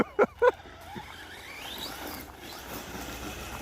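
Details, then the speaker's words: Traxxas Slash 4x4 RC truck on a 2S 5000mAh 50C LiPo after swapping a slipping clutch for a Summit/Revo clutch; motor whine rises and falls with throttle and the old clutch scream is gone; normal clutch engagement. "Yeah, she definitely seems happier now, not as much screaming from that clutch."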